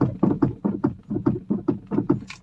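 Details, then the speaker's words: VW Polo: heavy hollow knocks about five per second in an even beat, coming from the steering box (rack); worn steering box parts clunking, lower suspension to be dropped to remove and inspect. "আৱাজটো এই যেটো আৱাজ ওলাই আছে এটো steering বক্সৰ পৰা ওলাই আছে"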